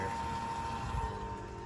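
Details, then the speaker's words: Walbro-type electric fuel pump in a turbo 1JZ Fox-body Mustang, run through the FuelTech test output to drain the tank: constant electric hum with a thin steady whine; the pump is noticeably loud. "So another advantage of the D-Works pump is hopefully it's going to be a little quieter, because you can hear this thing, this potential Walbro is not quiet."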